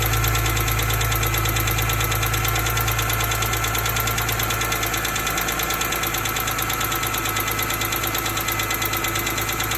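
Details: 2005 BMW E46 M3 idling with crisp, regular ticking about three per second; it started the day after a long, hard drive. One mechanic blames a pitted exhaust-side rocker arm, another says rod bearings, so the cause is unconfirmed.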